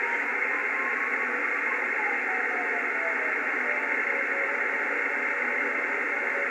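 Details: Yaesu FTdx5000MP receiver with antenna disconnected: steady hiss with a faint beacon-like tone whose cadence slows as the dial is tuned down, also heard on another receiver at 14200; caused by a loose data cable to the SM-5000.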